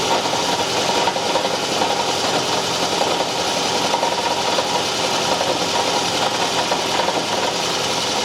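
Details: 2010 Toyota Camry Hybrid engine on start-up: loud, rough, rattly running with a hissy scraping edge and no clean even beat; abnormal start-up noise, cause not evident.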